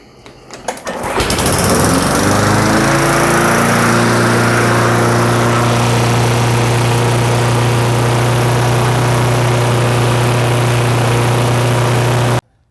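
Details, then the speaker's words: Briggs & Stratton Classic push mower engine, previously surging, fixed by new carburetor gaskets and diaphragm stopping unmetered air, brake clamped; catches, picks up, then holds a clean, even hum with no hunting or surging: normal steady running. "And then once that's done, we can adjust the springs, and now that the engine is running smoothly, and we can get the desired engine speed that we want."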